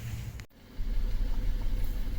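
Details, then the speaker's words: 2016 Ford F-150 3.5 naturally aspirated (non-EcoBoost) V6 at idle, low rumble pulsing unevenly with occasional dead beats from a cylinder 3 misfire, code P0303. "today we have a 2016 4 f150 3.5 maybe the natural aspirated no EcoBoost so no turbo but we have a cylinder 3 misfire going on p 0 3 0 3"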